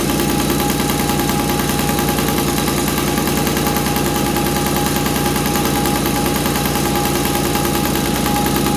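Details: 1983 Honda QR50, unrestored 49cc oil-injected single-cylinder two-stroke with automatic clutch: fast, busy crackle at steady speed with a thin tone on top, running on choke after fuel flow restored.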